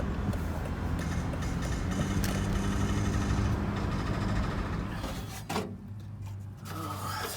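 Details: High-mileage Volvo XC90 accelerating, also when driving straight and turning: irregular light clicks about three a second over low vehicle rumble, gone when coasting or idling; owner suspects a failed driveshaft CV joint.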